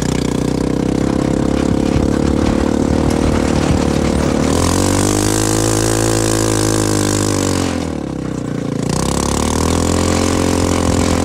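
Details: CFMoto 250cc 172MM GY6-type single-cylinder buggy after head rebuild (new head, piston, valves) and a re-spliced old pickup coil replacing a bad part, driven in the desert: note rises and falls smoothly with throttle, no misses or knocks; healthy running.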